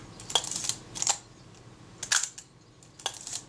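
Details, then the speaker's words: Kodak Retina Reflex type 025 after servicing the faulty shutter release, meter and top cover refitted: several crisp, sharp shutter clicks each with quick follow-up snap, firing cleanly and consistently. "let's put that meter back on there get the shutter release button seated get the top cover in place hold that down firmly that sounds much happier"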